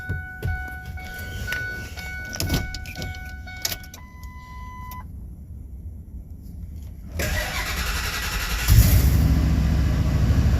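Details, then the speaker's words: 2001 Ford F250 5.4 V8 after starter replacement and cam position sensor work, started in park: door chime, then a brief starter spin and it catches into a deep, even idle with no stumble; possibly smoking some. Normal start. "nice that sounded amazing got to love it"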